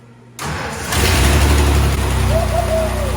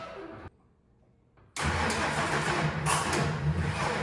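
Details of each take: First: Ford 4.9L shop truck, after a broken timing gear was replaced and the distributor re-timed. A brief starter crank, then it catches within about half a second and settles into a steady, even idle: a normal start. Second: Ford 4.9L shop truck after a broken timing gear repair, first start attempt: uneven cranking that spins but won't fire. The distributor was set using the wrong timing marks, so the ignition timing is off, and it was later re-stabbed.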